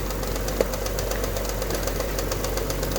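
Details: Alfa Romeo GTV Cup engine warming up for a head gasket block test, light fast metallic rattle under the steady idle note, consistent with a worn timing belt tensioner; cam belt not yet replaced.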